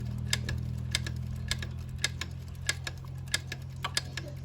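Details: Yamaha Spark motorcycle idling: sharp metallic ticks, about two a second, over the steady engine; source hard to find, traced to broken clutch springs rattling.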